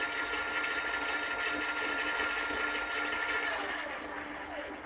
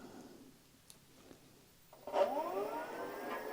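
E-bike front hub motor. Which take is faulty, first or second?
second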